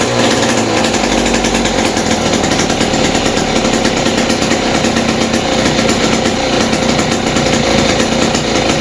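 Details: West Bend 580 two-stroke engine after cleaning the carburetor and reed valves and fitting new gaskets, run with no choke and the mix screw 2 turns out. It holds a fast, even buzzing idle with no misses or surging, a normal idle.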